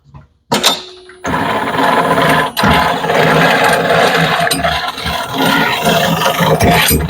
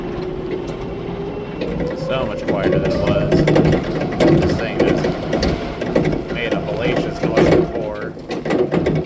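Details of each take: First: Raymond 770-R45TT lift truck, called out for a G4 code: harsh gritty grinding and rattling as the steering turns, from a worn-out steer bearing needing rebuild; a worn steer bearing can cause difficult steering and damage the steering amp. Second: Raymond 770-R45TT truck driving after steer bearing rebuild and regrease: steady motor whir with some rickety chassis rattle, no grinding from the steer unit, much quieter than before; normal steering.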